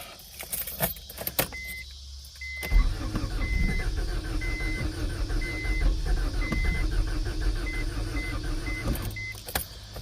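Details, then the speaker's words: 1992 Acura Integra, converted from automatic to manual, sat over 5 years after overheating; new distributor and starter fitted, fresh gas added. First crank attempt: uneven churning under a beeping chime, never catches. Owner suspects no fuel pump, as he can't hear it. "Man, I'm kind of wondering if I just don't have a fuel pump. I'm not hearing it."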